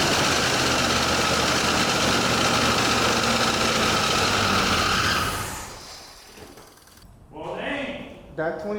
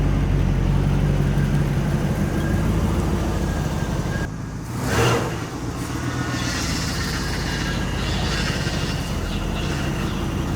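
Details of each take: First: 1984 Chevrolet Monte Carlo SS V8, first runs after sitting 22 years: steady fast-running raised idle for several seconds before dropping away; a popped-off line suspected of causing the high idle. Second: 1984 Monte Carlo SS carbureted small block, sat 22 years, idling after vacuum leaks from 40-year-old rotted smog vacuum hoses were found and capped: a steady, even low rumble with one brief whoosh midway, running smoothly without stumbling.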